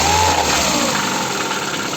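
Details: Ford engine at idle: a dull tapping under a busy mid-range clatter. An engine knock is present, source unclear.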